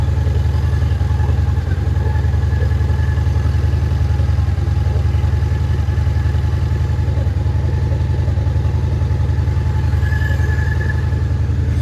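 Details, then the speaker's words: Honda Shadow Spirit VT750 V-twin with new pre-tuned Chinese carburetors, after fitting a missing fuel hose clamp, recorded on phone microphone: deep even idle about three and a half beats a second, no stumbles or odd exhaust smell; normal idle. "It sounds really good. So, it did it did come pre-tuned right now. It has a very nice rumble. It sounds amazing."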